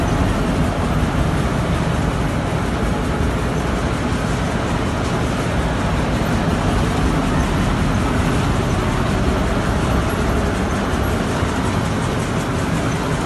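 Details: Petkus K527 seed cleaner after a major overhaul, running normally: an even, steady low rumble with no knocks, rattles or surging.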